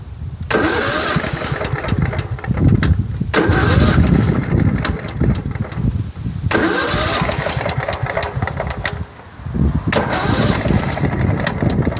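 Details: Riding mower with snow plow, carburetor already replaced, in cold weather: repeated starter bursts, engine catches briefly then stumbles and dies, sometimes knocks; blown head gasket suspected, not confirmed.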